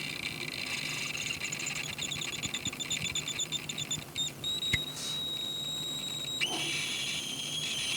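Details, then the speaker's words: High-pitched squeal with a chirping pulse from a WEI lithium portable power supply, heard in the evening after it had been left charging for a second time; unit switched off and unplugged at the time, cause unknown. "I don't know if you could hear that I hope you could but it's like this kind of really high-pitched squealing sound"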